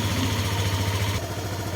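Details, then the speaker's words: Scooter that suddenly began sputtering and dying on the road, after the sputter was cured: engine holds a fast, even idle with no misses, but the idle speed sits too high and the owner plans to adjust it down. "adjust ko lang yung tamang ano niya tamang Menor para hindi masyadong malakas sa gas kasi medyo matas yung gasolina niya eh Mataas yung Menor kaya adjust adjust na lang"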